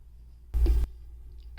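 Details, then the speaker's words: Nylavee soundbar speaker connected to a MacBook: two short dull low thumps over near silence when playback is paused; clicking pop on pause, owner suspects defective unit. "When I paused the video, it made that clip sound again. And this is a really big problem, especially when you're listening to music and then you just hear that weird sound."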